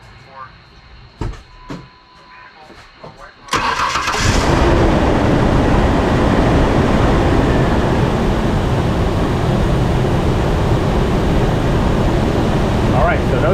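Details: Mercury Mountaineer at 178,000-odd miles after no-parts AC compressor clutch repair (gap adjusted, relay removed): engine cranks, catches and runs steady and even with no scraping or rubbing from the compressor clutch.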